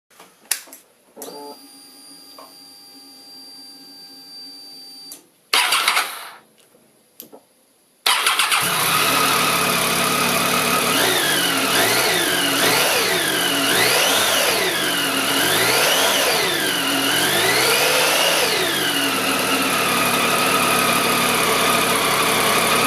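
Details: Triumph Tiger 800 at cold start: harsh, rough whirring clatter from the left side of the engine through several blips, fading once warm. The cam chain was checked and stator screws tightened without effect; the cause was a faulty rectifier/regulator.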